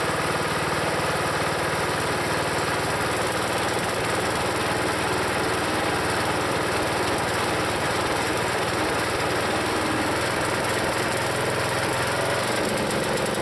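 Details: Used log splitter's small engine, long known as rough, before Seafoam: uneven, lumpy beat that sags and drops pitch as hydraulic load comes on when the piston is pulled back past a point; rough running and bogging, cause unknown to owner.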